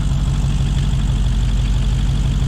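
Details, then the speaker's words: Square-body Nissan Skyline with freshly built V8, trumpets, brake booster deleted, first start-up: deep lumpy V8 burble at steady cold warm-up idle, no tapping or misfire; healthy new engine. "Yeah, it started up. Got the gauges there. Oh, on the button. Not bad. Let's see how it goes. The other motor wobbles this thing. Uh, there she's running."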